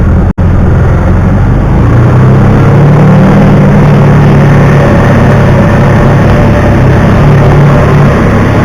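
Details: 2009 Kawasaki Teryx 750 fuel-injected, after fix for warm backfiring and power loss (nail inserted in center section): steady, even low engine drone at one speed, no popping or stumbling — runs perfect.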